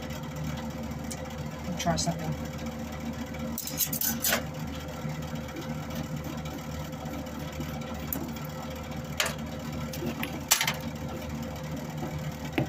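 A steady, even whir holds at one pitch with a few clicks over it; the wire feed motor is running smoothly.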